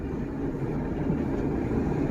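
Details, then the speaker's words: Manual-transmission Subaru under way after engine repairs, with 2-3 year old gas in it; shifting and clutch engagement are good. A steady low drone with even pull and no knock, grind or whine. Normal running. "Manual transmission. Shift's good. Clutch engage. What amazes me is it's got like 2 or 3 year old gas in it, and it runs as good."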